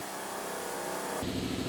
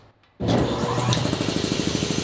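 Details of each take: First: New shop air compressor running, good oil pressure, filling tank toward 170, thought to take about 4–5 minutes: steady, even motor hum, running smooth and healthy. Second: New shop air compressor first start, mic pointed at it: fast steady pumping thump with loud airy rush because a tank valve was left open, dumping air.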